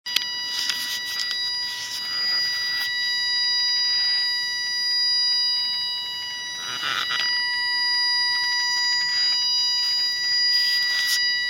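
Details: Nissan 370Z: a steady, thin high-pitched whine holding one pitch throughout, with a few rustling bursts; source of the whine unknown.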